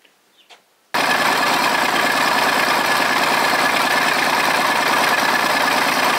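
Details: Volvo 320 tractor, Perkins diesel, first start after repair (valves adjusted, injectors refitted, filters and oil changed, rocker cover off): after a second of quiet it fires straight up and settles into a steady, even idle clatter with no misses.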